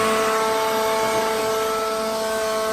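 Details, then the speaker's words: Used battery-powered leaf blower tested in a pawn shop: a steady, even high-pitched whir at one speed with no rattles, surging or dropouts; it turns on and runs fine. "Yeah, it turns on. That's okay. All right. Well, I mean, it turns on. Sounds good to me."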